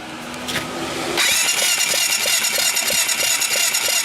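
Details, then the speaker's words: Baja 250cc, after cleaning a fouled plug: starter spins the engine with a steady, even chuffing but it never fires; no spark. Previously wouldn't start on the starter but would on the pull start; owner suspects the starter draws too much current for spark. "I got no spark in there. Now, interestingly enough, I did find with this thing that it wouldn't start like before."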